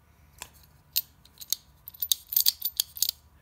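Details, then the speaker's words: Passive ratchet for a VEX VRC robot freewheeling in reverse: light, irregular dry ticks as the pawl taps the gear teeth, with little drag and low friction loss; normal ratchet pawl clicking. "you hear it clicking a little bit but that's just it tapping as it goes around"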